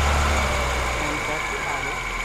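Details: 1991 Moskvitch IZH 412, near operating temperature, microphone at the engine: even steady idle that settles smoothly after a light blip, no ticks, knocks or stumbles; healthy.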